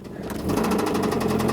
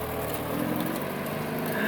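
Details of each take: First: Mazda Miata engine: a fast, sharp metallic knock over the idle that is getting louder, first thought to be lifter tick; oil pressure drops low while driving though the oil level is fine; the engine was later replaced. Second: Mazda Miata with new engine swapped in after a knocking, ticking old engine: crank, clean catch, settled even idle with no knock or stumble; normal startup and idle.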